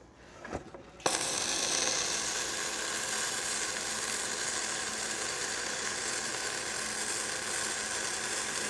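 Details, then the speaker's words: Gas-shielded flux-cored arc welding (FCAW-G) on a lap joint, 3/8 to 1/2 inch contact-tip-to-work distance: after a brief start the arc settles into a steady, even crackling hiss without pops or sputter; smooth, normal arc, slag peeling off on its own. "Man, I love how smooth that sounds."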